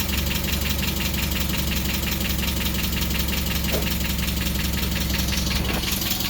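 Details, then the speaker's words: Miata after intake install for a supercharger (belt not yet fitted): even, steady idle with a regular firing beat and no knocks or rattles, idling a little low; engine running fine. "there you go engines running everything spinning around"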